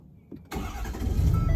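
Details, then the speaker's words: 2017 Ford F-250 6.7L diesel after fuel filter replacement, primed about four times: starter whirs briefly, engine catches and settles into a deep steady rumble; normal start. "boom she starts boom boom boom"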